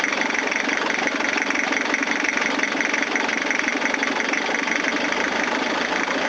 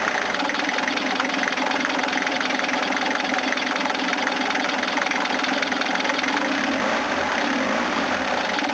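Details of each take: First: Toyota diesel cranking after a fuel filter change with the lift pump not working: long, even chugging crank that never fires because air is in the fuel lines; may need injector lines cracked to bleed. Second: 1980s Toyota Hiace diesel van after purging air from fuel system: catches and settles into a steady, even clatter for about thirteen seconds, then shuts off; normal diesel running.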